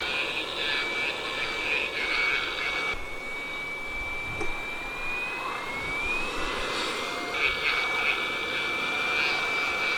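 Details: Small fan in a hot air gun station, which was rumbling loudly: an airy hiss with a rough, wavering whine as its bearing lubricant has dried out after long running.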